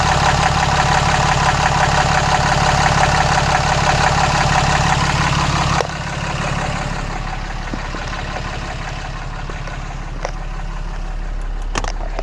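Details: 2014 Cummins 6.7 diesel idling after a CAT 1R-0750 fuel filter install on a BMP housing, primed to about 10–11 psi: steady, even clatter with no miss or knock, then it settles quieter; healthy idle.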